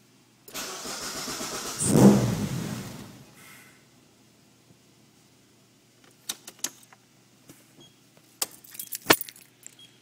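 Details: Mazdaspeed Protegé (MSP) after a custom intake manifold install. The starter cranks about two and a half seconds and the engine never catches; the cause turned out to be leaking lower injector seals: crank no start.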